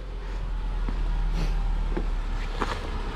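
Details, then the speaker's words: 2008 Subaru Outback wagon with 180,000 miles, just after a catalytic converter replacement that cured an exhaust rattle. It starts right up and idles with a steady, low, even rumble, no rattle and no check engine light. "hey she fires right up oh beautiful no check engine lights"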